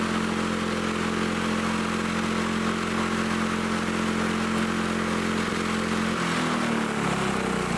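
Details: Lawn-Boy Loafer dual-engine rider, front-mower old two-stroke engine with new spark plug, just started: steady even drone that sags slightly, running strong but below proper speed; governor spring tension to be increased to raise rpm.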